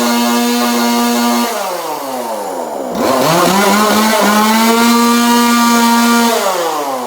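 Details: 2002 Husqvarna 136 chainsaw, about 20 years old, with new aftermarket carburetor, sandblasted repainted muffler with extra cut vents; after tuning it idles high and steady, revs cleanly and drops back smoothly with no stumble; runs healthy.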